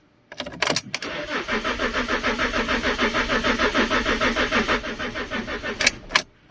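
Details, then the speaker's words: Fiat Stilo Abarth GT 5-cylinder, water-damaged and long-stored, many moisture-related fault warnings: starter cranks at about three pulses per second for five seconds but the engine never fires; crank, no start. "well guys it does not start as the last owner said"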